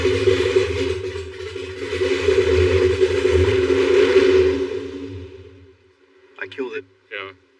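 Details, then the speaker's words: DeLorean with a scrap LS V8 swap, throttles closed: steady high drone as it idles far too high with no throttle, then dies and stalls; owner suspects a big vacuum leak, cam sensor fault later noted. "How could it go from idling so high to now idling at all to wanting fuel?"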